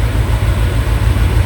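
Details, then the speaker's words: Peugeot 807 with EW10 engine at a lumpy, uneven idle with periodic dips; check-engine light on, anti-pollution fault; scanner shows permanent misfire on cylinder 1 fuel injection, likely a dead injector, possibly spark plug, injector to be tested. "Nah, ini yang bikin bincang Missfire on more silinder silinder satu fuel injection. Nah, ini ada kemungkinan ini antara dua kemungkinan antara injektor atau busi mati tapi kemungkinan yang terbesar sih injektornya mati."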